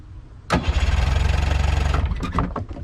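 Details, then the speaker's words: Boat engine after sinking underwater for hours, corroded battery connections cleaned, old spark plugs: starter cranks with an even steady rhythm for about a second and a half without firing; normal cranking. "all right we're gonna have a boat in no time it's turning over again because i need to get new spark plugs but these should work for now"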